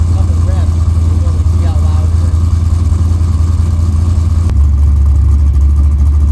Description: After installing this LQ4 with 2.5” dual pipes, it had way too much drone with the 3” Flowmaster Flow FX mufflers.